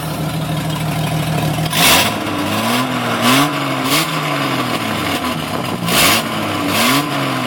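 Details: 1996 Jeep Cherokee Sport 4.0 blipped from idle: a loud raspy hiss bursts out as revs climb. It is an exhaust leak at the Y-pipe, which was slightly leaking at purchase and broke progressively over six months.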